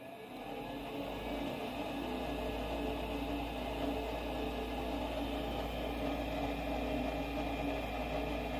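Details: Goodman 40,000 BTU furnace after pressure switch replacement for E2 code (switch not closing, tubing checked OK): steady, even inducer whir with constant hum, no rattle, surging or scraping; switch now closes.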